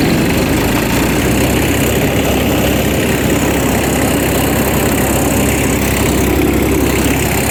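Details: 2012 GreenMech Quad Chip wood chipper three-cylinder diesel, 1,500 hours, after bleeding air from the injectors at yearly service: steady, even idle with a constant low rumble, no misfires; running normally.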